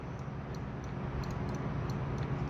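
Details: 2024 BMW S 1000 RR clutch lever switch with fine metal tabs, checked during lever replacement since a bent tab stops it working right: a handful of light, crisp clicks over low background hum; the switch snaps cleanly as it should.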